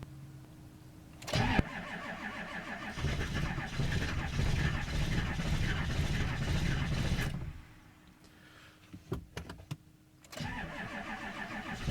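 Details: 7.3 diesel cold start at 15°F with the block heater unplugged: slow, labored cranking for several seconds, a pause, then more cranking before it finally catches; hard cold start.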